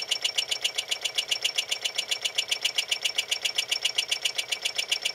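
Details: RCA SKT-400 CED videodisc player, newly bought: sharp, high, very even clicking rattle about two and a half times a second with no hum underneath; mechanism noise, cause unknown.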